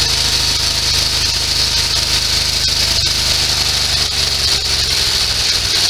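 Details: Sears SS16 garden tractor with an Onan twin, revived after years sitting. Under mower-deck load it runs rough and lumpy, an uneven beat with rattly clatter on top. It is running on one cylinder, cause unknown.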